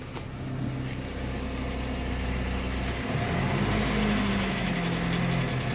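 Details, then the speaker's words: 2011 Honda City engine after an oil flush: light revving over an even idle reveals a regular knock at about four per second following the throttle; flush on a sludged engine suspected, cause unconfirmed. "ou mostrar lá no motor dá para ouvir no motor né batendo"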